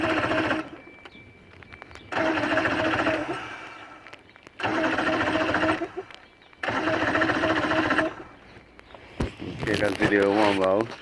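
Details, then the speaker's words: Johnson V4 115hp outboard after a ground wire change: three separate cranking bursts of about 1.5 seconds each with steady starter chatter, but it never catches. "so okay so we're getting really turning it's turning a bit so that's a good start"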